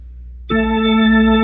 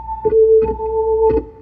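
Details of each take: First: Hammond B3 MK1 organ after busbar cleaning and pedal rubber contact replacement: a slowly pressed key speaks instantly with a steady, clean tone, no crackle or delay. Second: Hammond B3 MK1 organ with dirty busbars and pedal contacts, before cleaning: notes crackle and scratch as keys go down, with unsteady tone across several keys.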